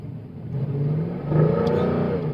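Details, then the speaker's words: W204 Mercedes C63 AMG with the 7-speed MCT transmission at 20 km/h up a hill: the engine note climbs and hangs high while the car barely gains speed, with almost no power; the transmission is slipping. "Do you guys hear that? Like I'm going 20 km an hour up a hill. We have like no power pretty much."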